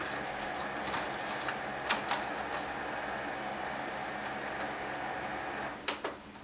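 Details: HP LaserJet P2055 reassembled after full disassembly, printing a 100-page test run: soft steady feed whir with regular paper clicks and swishes. A little smoke was noted earlier. Normal printing.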